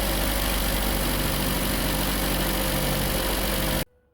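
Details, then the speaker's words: Kia Forte Hybrid in cold weather, started with a jump starter after a battery discharge: the engine starts well, then holds a steady, even low idle hum with no knocks or misses before a clean shutdown. "다시 연결을 하고 시동을 걸어 볼게요 히 시동이 잘 걸립니다"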